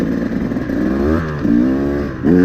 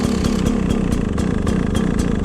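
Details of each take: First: Carbureted two-stroke dirt bike nearly warmed up, radiators hot to the touch; crisp throttle blips rising and dropping back to a stable idle without sputter; good throttle response after a gradual warm-up at 3,000–5,000 RPM. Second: Carbureted, electric-start two-stroke dirt bike, first cold start of the day at air temperature with choke on; slow, uneven, lumpy popping idle close to stalling, idling low until it warms up and the choke is turned off.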